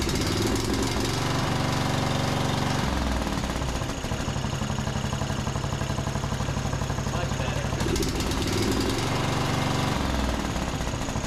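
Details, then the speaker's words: John Deere D110 riding mower single-cylinder engine after regapping the spark plug to 0.030 in, tightening it, and richening the cap-limited carburetor about a quarter turn: it runs steady and even with no misses or stumbles, smoother than before. "That sounds much better. They have those little safety caps that don't allow you to adjust the carburetor very far, but that probably made another quarter turn to richen the mixture, and that seems to sound a whole lot better than it was."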